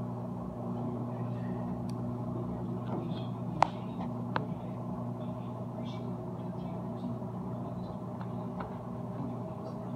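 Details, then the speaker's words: Whirlpool Duet front-load washer, about five years old, final spin on normal cycle: low steady hum with faint gurgle under quiet spin; drain pump running normally during extraction. "you can hear the uh the pump going during all these two extractions much water wrap out of it"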